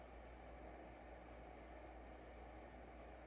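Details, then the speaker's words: Anycubic Kobra 2 Max 3D printer after upgrade to a Noctua fan with 24V-to-12V step-down converter and printed shroud: soft steady airy hiss over low hum, no rattle or whine; far quieter than the loud stock fan. "that is amazing to me like why wouldn't any cubic just do that right off the bat instead of having the jet engine fan in there making it like so loud like so obnoxiously loud it's crazy"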